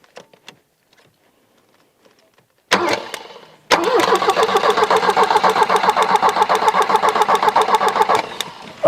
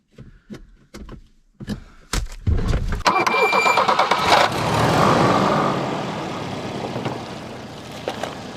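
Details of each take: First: 1984 Volvo 240, parked since about 2012: engine cranks freely at a steady fast beat without catching, with bad fuel and a spark bleed heard; no spark because the ignition was unplugged, and it started once reconnected. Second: 1984 Volvo 240 parked since about 2012: a few clicks, short crank, catches quickly and settles into a steady even idle with no misses; a good runner.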